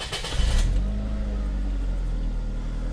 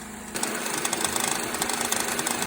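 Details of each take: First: 2.3L Duratec Ford Escape/Mazda Tribute petrol engine just after replacing a worn, bouncing belt tensioner that had caused a ticking rattle: cranks, catches and settles into a smooth, steady idle with no ticking after a couple of minutes, not yet fully warm. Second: 2005-2008 Ford Escape/Mazda Tribute 2.3L Duratec, warm idle with the AC on: fast ticking and rattling from a worn belt tensioner bouncing in sync with the noise; replacing the tensioner eliminated it.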